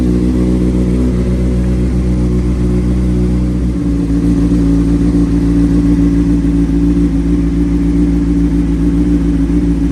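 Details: 2003 Honda CBR600RR with Yoshimura slip-on, sitting about three years, cold start on a charged jump box: crisp, even idle that picks up cleanly when revved, steady firing with no misses or rattles; normal idle and revving.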